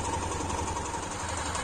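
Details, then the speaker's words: Honda Tornado XR 250 single-cylinder idling, slightly louder: fast light ticking chatter over steady beat from clutch pusher rod movement; considered normal and harmless, not a clutch basket problem. "y bueno básicamente como les decía yo no le daría mayor importancia a este ruido porque no es algo realmente problemático"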